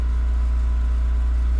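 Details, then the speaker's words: 1989 VW Golf Cabriolet with an intermittent fuel delivery problem, external fuel pump suspected, restarted the next morning; the pump was barely audible at key-on. A deep, steady rumble as it catches and settles without stumbling: normal idle. "which is interesting. But it's just fired up and it's back to normal."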